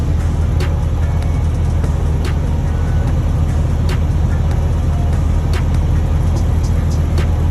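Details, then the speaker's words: Detroit DD15 with fault code SPN 3660 FMI 14 (cylinder 2 injector amplifier control valve) during a cylinder cut-out test at low idle RPM: steady, even diesel idle with no misses or knocks, only light clicks on top; running normally. "All right, so far so good. I don't feel anything out of the ordinary."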